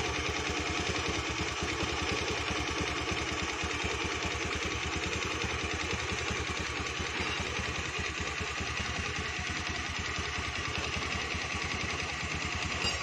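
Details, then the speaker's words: Honda Beat automatic scooter idling with a dense rapid ticking knock ("klitik") riding over the engine beat, likely from inside the engine, cause not confirmed; engine knock at idle. "hai hai hai hai hai hai Hai motor klitik klitik ada suara motor klitik klitik"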